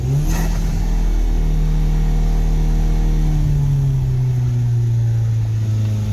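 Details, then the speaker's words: 2016 Hyundai Veloster DCT turbo GDI, 82,386 miles, warmed up: revs held up with a toolbox on the pedal slide smoothly back to idle as the drive-by-wire throttle won't hold RPM, during CRC intake valve cleaner treatment. "Alright, so I'm using a toolbox and the RPMs are coming down. This is the problem with these cars."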